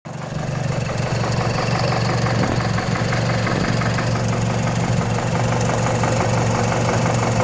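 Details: Mazdaspeed 3 turbo petrol at idle: fast metallic ticking rattle, about three a second, from inside the engine, suspected timing chain noise, not confirmed.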